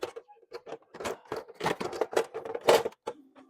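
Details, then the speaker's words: Konica copier document feeder after oiling dry cleaning-roller bushings: light irregular clicks and soft whirs as sheets pass, no squeal or grinding; normal paper feed. "oil yeah this is normal the sleeve is a little dry"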